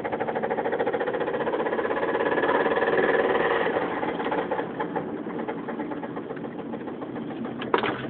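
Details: 2005 Mazda 3 while driving after a burnout failed a connecting rod bearing and the rod broke; steady hard knocking about four per second over the engine note, with some power loss: rod knock.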